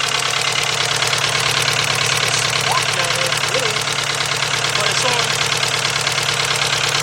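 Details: VW 2.0 engine running rough after a fuel pump change, plug wires 1 and 2 crossed: rough idle with a steady skip about three times a second; one-cylinder misfire that stays with the cylinder, not the wire.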